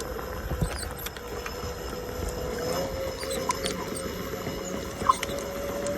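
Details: S18 electric unicycle riding with short, high chirps breaking out now and then over a steady motor hum and rolling noise.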